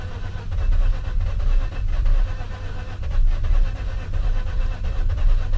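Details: Mazda RX-8 rotary during de-flooding, owner pressing and releasing gas, plugs likely fouled: starter churns steadily in low surging waves, engine catches faintly but never fires; flooded, won't start, cause suspected not confirmed.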